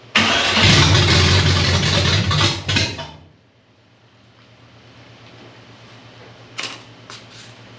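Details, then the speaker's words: 1965 Chevy Nova wagon 327 V8 on first fire, running a temporary gas-can fuel system with water in the cooling system. It cranks, catches and roars briefly, then dies within about three seconds and won't idle; it won't pick up fuel (fuel starvation). "well I don't know how to get it to pick up fuel to do"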